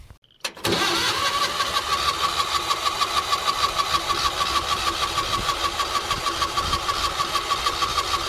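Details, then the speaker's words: Engine-driven welder cranking: steady starter whine with even turning-over pulses about three per second, never catching; owner reports it has fuel, spark and air, later ran after fuel started flowing but hard starting; cranks but won't start. "we have crap welder won't start it's got fuel it's got spark it's got air i don't don't know what's going on"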